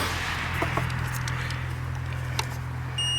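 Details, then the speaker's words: Jump starter (Hulkman 10.0) connected to a 2004 Cadillac Deville V8 gives a high electronic beep over a low hum and handling clicks, warning that the car battery is totally dead. "The unit is beeping, which means the battery is totally dead."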